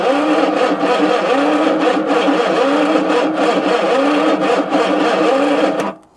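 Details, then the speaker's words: Long-abandoned 1966 Ford Zodiac cranking: uneven loping gallop, one stroke spinning over easier each turn; compression test later shows low readings of 50 and 40 psi, indicating low compression. "that's only better but a little bit concerned by the sound of the engine there's a nice Gallop there which I think from just watching multiple YouTube videos means that things are broken"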